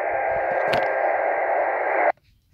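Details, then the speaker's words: Leixen VV-898 on 2 m FM, homebrew dipole, portable operation: harsh buzzing data-like noise swamps the speaker, then cuts off; pager signals breaking in by intermodulation, blamed on poor receiver filtering. "that's a little bit noisy that's noisy if you listen to that noise you'll hear that it's actually pages"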